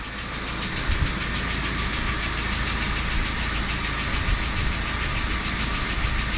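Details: UAZ Patriot engine at idle with a fast, light ticking over the low rumble from noisy hydraulic lifters.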